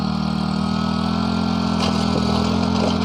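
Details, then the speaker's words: Used Japanese small single-cylinder tiller, just started easily: steady, even idle with an unbroken beat and no knocks or rattles. Healthy, smooth idle, though the ground is very hard for tilling. "เปิดสวิตซ์onสตาร์ทติดง่ายนะครับเครื่องนิ่มเลยแต่ไอ้ปั่นดินไม่ง่ายเลยนะครับ"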